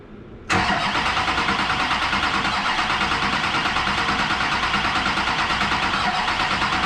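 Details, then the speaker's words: LB7 diesel truck after injector replacement, run without coolant, fuel system primed: steady cranking about three beats a second for seven seconds without catching, though it almost fired; cause not confirmed. "Okay, well that sounded promising. Sounded like she almost fired up right there."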